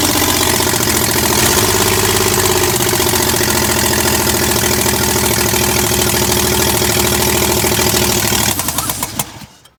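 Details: Chevy 307 small-block V8 in a 1965 C10, first start in 20+ years, no exhaust manifolds fitted: loud, harsh open-port sound with crackling, uneven beats for several seconds before cutting out; rough running, ignition timing was wrong, later fixed.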